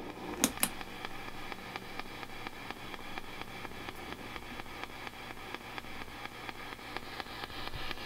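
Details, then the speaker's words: Fender '68 Deluxe Reverb amp, tremolo on and reverb off: sharp, regular ticks about once or twice a second over quiet amp hum, a tremolo circuit ticking most noticeable at volume 5 or below. "number two the tremolo circuit on this amp exhibits a really loud and distracting ticking noise let's take a listen"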